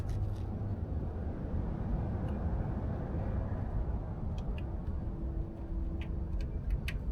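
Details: 2018 Mazda CX-5 after water pump replacement: steady, low, even hum with no rattle or grinding; the previous rattling and grinding are gone.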